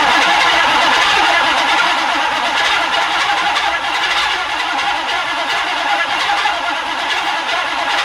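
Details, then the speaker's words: OBS Chevy truck, recovered after theft, newly installed starter: slow heavy strained cranking about three and a half beats a second; starter sounds like it's turning tightly, cause unconfirmed. "it's almost like it's it sounds like the starter is real tight under di Shins a"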